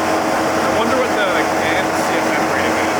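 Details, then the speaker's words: Rebuilt wrecked McLaren 720S just after shutdown: engine off, loud steady whoosh of radiator cooling fans with a faint whine on top; normal fan run-on after shutdown. "So, now the radiators are cooling down cuz obviously when you kill any car, it's the radiator fans down a little bit. Now you can properly hear how loud these are."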